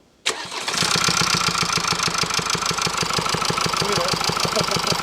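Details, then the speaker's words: Mercedes-Benz C-Class with OM654 four-cylinder diesel, 17 years, 145,700 km, brought in for engine noise: fires up and settles into a sharp regular tapping about three ticks a second from the valvetrain; camshaft possibly damaged. "Có âm thanh này Bạn không được bỏ qua âm thanh này. Trong trường hợp này, có thể trục cam và động cơ bị hỏng."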